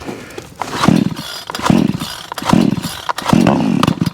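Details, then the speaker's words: Vevor 20-inch gas chainsaw with manual choke and no primer bulb, cold start on choke: repeated pull-cord rasps, then a short chug as it first catches, then choke comes off; normal first pop on choked cold start. "Got your first chug, take the choke off."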